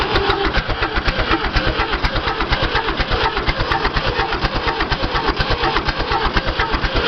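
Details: David Brown 1490 tractor diesel, cold start attempt: fast even chuffing of the starter turning the engine over and over, never catching or picking up speed; cranks but won't start.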